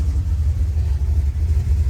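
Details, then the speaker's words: Rebuilt 383 V8 with new valves and lifters, warm after about 15 minutes idling: deep smooth steady idle, no knocks or metallic tick, only normal sewing-machine sound; good oil pressure. "all right it's running everything sounds good that's got the sewing machine sound which is normal but it doesn't have that metal on metal tick anymore like it did"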